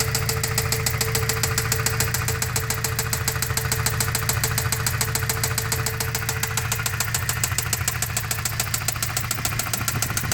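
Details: Toyota 22RE engine idling: steady even knock about three per second, appearing after the valve cover was refitted; cause unknown.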